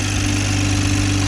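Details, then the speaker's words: 2020 Toyota Supra idling after cat-less downpipe install, O2 sensors still unplugged, listening for exhaust leaks: smooth idle with faint quick light ticking, normal direct-injection injector tick, no leak heard. "i'm listening for exhaust leaks can you guys hear any exhaust leaks all i hear is the tick"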